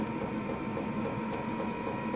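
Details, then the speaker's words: Shed diesel heater on battery power, turned up to high once ignited: steady whirring fan drone, faint ticking pump, constant hum, no surging or sputter; burning evenly, higher power only slightly increasing battery draw. "no so turning the power up it would appear once it's ignited has a little effect on the power draw"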